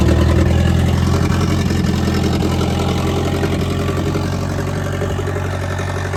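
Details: Old International crawler/loader diesel, fluids checked, transmission fluid slightly low: deep, smooth, even idle holding a steady beat without stumbling or knocking; running healthy.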